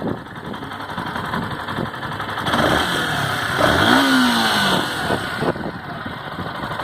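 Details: 2018 Yamaha Factor 150 motorcycle, 6,000 km, idling: quick steady tapping, about four light knocks a second, "woodpecker"-like; owner told it may be the cam chain, unconfirmed.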